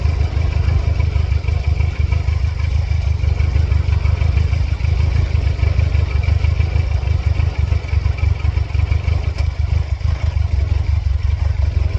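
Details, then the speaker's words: 1999 Mercedes-Benz C230 Kompressor (W202), flashing check engine light, all sensors plugged back in after restart: low, deep idle with uneven stumbling pulses about three a second, struggling near stalling; it later stalls under load in reverse. "Low idle at first, trying to figure out what's going on. Changing a little bit. Have throttle response back. The engine's still having a very hard time."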